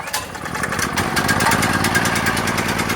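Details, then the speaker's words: Firman 3650 generator just pull-started (run switch in middle on position, choke set to start). The small engine catches and settles into a quick, steady popping run with no misses. Normal running; it rises to higher RPM after about a minute. "There we go. So now it's running."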